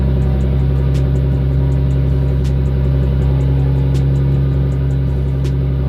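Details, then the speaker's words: RB25 Neo after closing down the over-open throttle plate: a low, steady idle with an even pulse and no hunting or surging, fixing the high-idle problem. The owner afterward wonders about a possible knock, maybe from being untuned. "So I'm gonna try to start it and see if it idles better now."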